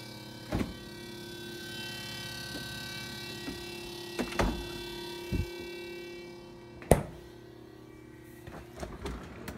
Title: Refrigerator noise